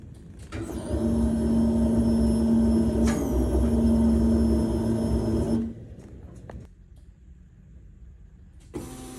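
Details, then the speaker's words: Truck with Holley Sniper EFI 2 conversion, original electric fuel pump before replacement: a steady high whine with a lower hum for about five seconds, then cuts out; failing pump. "But I want you guys to hear what the noise the pump was making prior to me replacing it."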